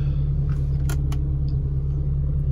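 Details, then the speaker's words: Car engine, cold, after overheating repair (oil, timing belt, valve seals replaced; temperature now normal), found with only about a litre of oil: steady, even low idle hum, no knocks or misses; previously hard to start, now normal idle. "Hidupnya sudah enak ya. Kemarin kan hidupnya susah."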